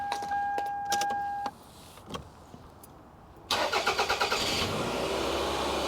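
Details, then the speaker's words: Toyota with about 289,126 miles, on ramps during routine maintenance, EVAP check engine light on: few clicks then quick catch and even steady idle, no ticking or leaks; healthy. "crazy sounds good nothing leaking"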